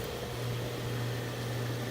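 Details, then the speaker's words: Goodman R22 AC condenser that first buzzed on start, with a suspected failed capacitor: both compressor and fans now start and run with a steady low hum, even fan rush, no rattles or buzzing; normal running, no major component damage. "good news at least there's no major component damage so let's find out what all they want done while we're here"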